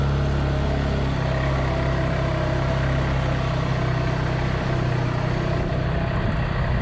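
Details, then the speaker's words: Polaris 300 Sportsman quad just started after drive belt replacement, rear bushing and new coil, warming up before a test ride: low, even thrum, smooth and steady with no knocks or slipping, rain hissing behind; idling healthy. "so we'll start her up let it warm up and then i'll take a spin after"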